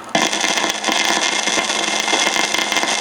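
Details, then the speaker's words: Probing a noisy 101 radio with an Eico 147A signal tracer: steady crackling hiss with sputtering bursts appears on the AGC line, likely a failing component or broken capacitor lead in the AGC circuit. "so there's something in the AGC circuit is either a broken lead on capacitor or you know a component faing but that is definitely something on the AGC that's causing this aaic noise"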